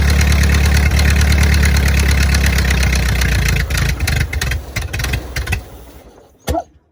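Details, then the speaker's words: 1928 Ford Model A, sat 75–80 years and rusty from a ditch, torch-warmed in cold weather and run without coolant, chugs with a steady loose beat then winds down. The hard rattle is an exhaust manifold leak, not rod knock. "But she's running, and I got to say, for as bad hurt as she is, that real hard rattle is that's not a rod knock."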